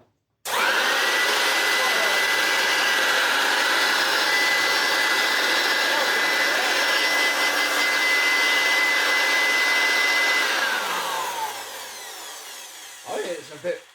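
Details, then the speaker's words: Hoover Turbopower U2798 vacuum with motors swapped to compare the newer-style and older-style motors: motor spins up to a steady rushing roar, more powerful but lacking a high-pitched whine, then winds down smoothly; motor sounds sound. "more powerful as well, but it just hasn't got that high pitched wine on it."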